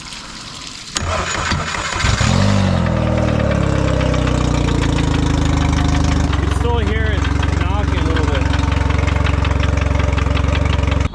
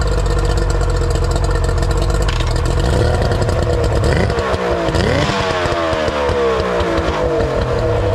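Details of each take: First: Outboard after gear fluid change and lower unit reinstalled: cranks and idles, running well but with a dull steady thump about three per second from the lower unit, which needs rebuilding. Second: Older Yamaha two-stroke outboard: it runs smooth and even, its beat rising and settling cleanly as the throttle is blipped, with no misses or knocks; normal idle.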